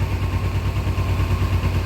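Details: 2000 Kawasaki Ninja 250 bought cheap as a non-runner, first revival, carburetors not yet rebuilt, Marvel Mystery Oil added: a low, lumpy idle with uneven, wavering beats that never settles. It is running rough, and the owner suspects the carbs need a rebuild kit.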